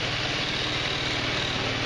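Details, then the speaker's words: 150cc GY6 scooter (Verano 150) after valve adjustment, panels refitted: quick, even single-cylinder putter at idle with no tapping or rattles; normal idle. "Checking for rattles. Sounds good."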